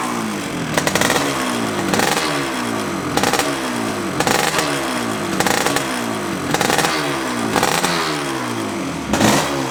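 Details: 1982 Yamaha RD350LC 350cc two-stroke twin, matching numbers, fresh extensive rebuild, new clocks reading 1 mile, started on choke with a little throttle: crisp ringing catch, repeated sharp revving blips, clean even pickup, crackle on the overrun; healthy start and revving.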